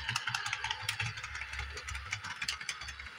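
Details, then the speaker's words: Repaired Bachmann Doodlebug model train on DCC track, controller at full yet crawling slowly: uneven light clicking ticks, about three a second, over faint motor hum; gearbox clicking, cause not confirmed. "Oh, it's going. You hear it clicking. But it is kind of run."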